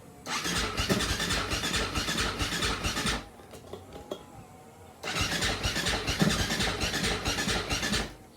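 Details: 2004 Husaberg FE450 hot and warm, hot-start attempt after installing missing air boot; two long bursts of fast uneven starter churning with no catch, cranks but won't fire; coolant leaking and oil possibly milky.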